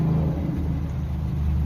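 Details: Kia Soul (2010) after brake squeal fix on still-good pads: pads sanded, anti-squeal on pad backs and caliper, slide pins lubed; low, steady car rumble with no squeal or scraping, brakes now quiet.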